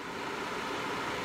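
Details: NewAir G73 hardwired 240 V electric garage heater, just installed, thermostat turned up and already blowing warm: steady even airy rush, no ticks or rattles; heater fan running normally.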